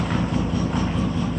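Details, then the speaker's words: 1972 GMC six-cylinder ice cream truck after tune-up, spark plugs cleaned with Superclean, leaking hoses found and vacuum source corrected: smooth, even low idle rumble, no misses; now quieter, running on all six cylinders. "sounds a lot better than it did before much quieter just run on all six cylinders"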